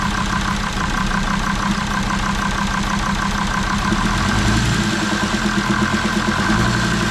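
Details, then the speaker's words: Jeep Grand Cherokee WJ 2.7 CRD (OM612) diesel, smoky and running rough: idle with a hard, uneven rattling knock; injector knock is suspected. Diesel knocking at idle. "but yeah let me let me show you guys the knocking noises I'm"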